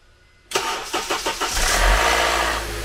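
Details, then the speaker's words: Car cold start: several quick cranking beats, engine catches with brief metallic clatter fading as idle settles; replaced parts didn't fix it, cam phaser suspected but not replaced, noise judged harmless. "so that didn't fix it but i'm not doing the phaser on this because i hear that that can sometimes fix it sometimes doesn't and but it's just a noise it doesn't affect anything"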